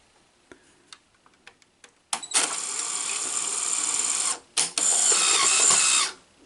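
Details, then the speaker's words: Sony SL-HF400 Betamax VCR running without its front faceplate, test tape loaded: a few light clicks, then a strained high whirring that stops, pauses and restarts as the cassette loading struggles; the tape got mangled, cause unclear. "so there definitely is a problem but i think it's because the front faceplate is not on"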